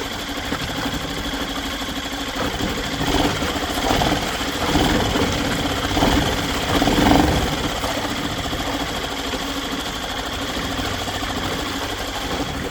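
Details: Yamaha 2.5 hp four-stroke single-cylinder outboard after carburetor reinstallation and fresh oil change: steady, quick-firing idle with no knocking or misses; normal idle.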